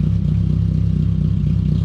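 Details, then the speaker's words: 2002 Pontiac Sunfire 2.2L right after fitting a new MagnaFlow muffler: deeper, lumpy exhaust beat at idle with a slightly irregular pulse; owner suspects an injector not pulsing right and is running fuel cleaner. "this one's a little more deep as you can hear and it sounds like that injector is just not pulsating just right so"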